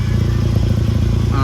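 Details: 2011 VW Golf Mk6 wagon: loud, raspy low engine drone with chuffing puffs as exhaust escapes through a big hole at the top of a clamped pipe joint; exhaust leak.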